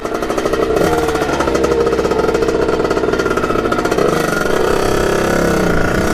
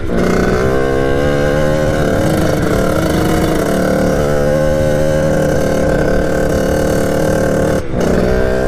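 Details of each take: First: 1989 Kawasaki KX80 with 110 big bore two-stroke, fresh rebuild, started first kick: even, crisp, steady idle with no hunting or stumbling; normal idle, though it reportedly won't hit the power band at full throttle. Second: 1989 Kawasaki KX80 two-stroke, big-bored to 110, at full throttle while riding. It holds a flat, steady drone and never climbs to a high-rev scream, lacking power. Owner suspects jetting or something slightly off.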